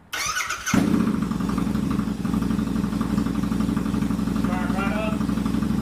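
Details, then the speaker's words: Royal Enfield Continental GT 650 twin, first start in neutral after a valve adjustment and first oil change; fires after a short crank and settles into a smooth, even idle with no ticking or clatter; sounds healthy. "But we're going to crank it up, and we'll see if anything terrible happens."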